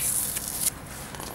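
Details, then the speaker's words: Refrigeration system liquid line rubbed through, pressure bumped up to find it: sharp high hiss in short bursts over a quiet background as refrigerant bubbles out of the leak; refrigerant leak. "it's just bubbling out th"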